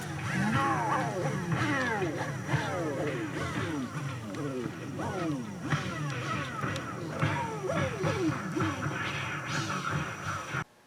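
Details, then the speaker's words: 1970s Sony TC-238 8-track recorder playing a tape through an HK350i amplifier; music keeps sagging and wavering in pitch as the motor struggles to hold speed, dirty motor contacts, hoped to clean themselves with running. "It's yeah, it's really struggling to maintain speed. Yeah, I have a feeling if I just leave it, it'll probably clear itself, but I'll just let it run for another half hour and see what it does here."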